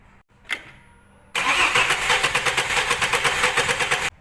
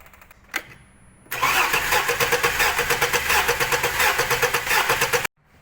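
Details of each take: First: Same misfiring engine, compression test on cylinder three, whose plug shows carbon and burn marks: the starter cranks with quick, even pulses, about nine a second; pressure is fine there, while cylinder four has lost its compression. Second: Misfiring, shaking engine during a compression test with the spark plug out, which was clean and unburnt: the starter cranks with an uneven, lopsided beat of about three pulses a second, and the gauge reads zero compression. The cylinder is dead.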